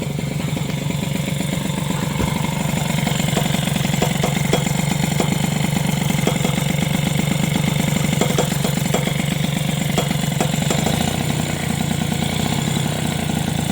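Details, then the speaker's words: Moped with SPX/RCX engine mount spacer modified to polyurethane (not recommended). Steady two-stroke idle with irregular sharp ticks and clacks as the cylinder head touches the frame; owner unsure what is touching. "il y a vraiment un truc qui touche j'ai un truc qui fait du bruit là je sais pas ce que c'est"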